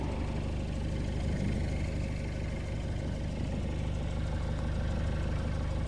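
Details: Citroën C5 2.0 HDi 100 kW diesel at steady idle with a light, regular tick about three per second; source unknown, owner suspects injector area; injectors repaired, new piston rings, valves repaired and valve seals replaced 15,000 km earlier.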